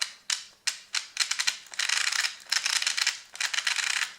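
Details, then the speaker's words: Brand-new Tamiya TBLM-02S 15.5-turn brushless motor with a TBLE-02S ESC in a Comical Frog WR-02CB, correct pinion fitted: sharp, uneven dry clicking at low throttle; it sounds fine at high RPM, and the owner is unsure whether it is normal or a defect. "On higher RPM it sounds good. It really sounds strange on slow RPMs. Is that feature from the brushless motor or is it a damage?"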